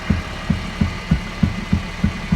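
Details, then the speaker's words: Honda Freed after installing spring spacers and refitting the struts: single sharp, dull low thuds about three per second as the strut rebounds; the struts work well, but play of unknown origin causes knocking over bumps. "Прикиньте, я и не знал, что вот такое может стучать. А? То есть работает, зашибись, а вот просто отпускает такой звук."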